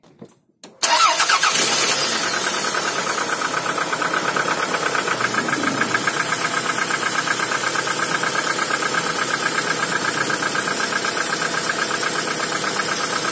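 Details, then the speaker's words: Toyota RAV4 that sat cold two days in snow and wouldn't start, after cleaning carboned spark plugs, gapping them to 1 mm and a temporary ignition-lead fix: quick cold start, even steady idle, faint hydraulic lifter tick; normal. "Так ну что мотор совершенно холодный Но работает ровно чуть-чуть немножко какой-то компенсатор подступит Ну так он в принципе и будет стучать"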